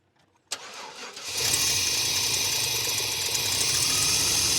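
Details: 1995 GMC, restarted while distributor is turned: cranks, catches, idles under a strong airy intake hiss from retarded ignition timing, getting quieter as timing is brought up toward 0°.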